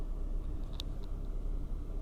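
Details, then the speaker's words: Engine with hydraulic lifters, treated with an oil additive to quiet lifter knock, idling from fully cold as the temperature needle starts to rise: low even rumble, no ticking, rustle or grinding; normal idle. "то есть потому что двигатель был абсолютно холодной то есть никаких опять никаких звуков посторонних и шорохов ни скрежета ничего нет"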